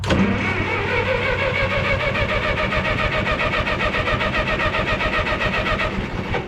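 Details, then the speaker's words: 1954 Minneapolis Moline UBU tractor during a tune-up (new plugs, wires, cap, rotor, points, condenser), ignition on, choke out: starter cranks evenly, about 220 compressions a minute, but never fires; no spark. Suspected cause a piece off the points touching the distributor floor. "Okay, I think I got it figured out. That little thing off from the off the points was touching the, call it the floor of the distributor."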